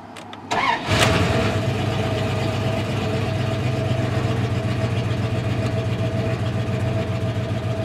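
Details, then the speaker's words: 1995 Dodge Ram 1500, 318 Magnum, automatic, 284,000 km, after fuel pump replacement: quick start then uneven, loping shaky idle with popping; oil consumption when warm, diagnosed as a breached intake plenum gasket leak. "got a bit of a shake to it and uh yeah it's consumes a lot of oil especially once it's warmed up but you can hear how crappy it's running at idle and it's got a bit of a pop"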